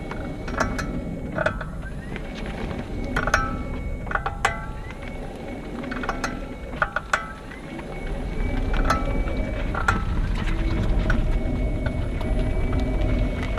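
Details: 2018 40kWh Nissan Leaf near 5,000 miles, GoPro on front wing: sharp irregular clicks and clunks from front driver's side creeping slowly, when moving off or stopping in ePedal and transitioning to regen; mechanical cause suspected, unconfirmed.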